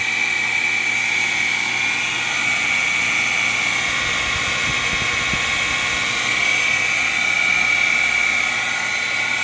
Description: This unit has been installed for just 15 months and is now making a horrible grinding noise.